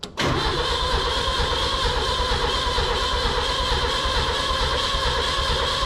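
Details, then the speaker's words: 1965 Datsun 320 revived after 20+ years with rebuilt carburetor, electric fuel pump giving far too much pressure and flooding the bowl, coil jumpered; starter cranks steadily six seconds with even churn but never fires; owner suspects no spark. "I wonder, maybe we're not getting spark. Do I have time to even test for spark? Not really."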